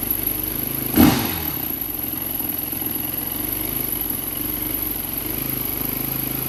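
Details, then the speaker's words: 2004 Yamaha WR450 single after sitting, new battery, brake clean sprayed: one sharp pop, then lumpy uneven low running that struggles to settle; hard start, owner suspects gummed carburetor. "Let's try the brake clean here. It sounded like it wanted to pop off. No way."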